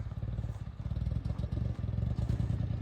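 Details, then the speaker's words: Mitsubishi Mirage after being flooded in a river crossing; low uneven chugging with irregular dropouts at idle; missing and running rough, moisture in the spark plug wires suspected, no smoke. "Maybe the spark plug wire's got a little moisture in them there."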